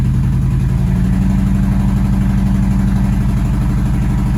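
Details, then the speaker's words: 2011 Nissan Altima, flashing check engine light, P0303, in Drive with slight load after five seconds running: deep idle stumbling, uneven thumps with dropped beats; misfire moved to cylinder 2 after coil swap, faulty ignition coil. "so after letting it run for like five seconds this started misfiring for the [Laughter] in Drive slight load on it"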